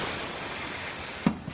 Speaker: You hear the bead popping, both sides.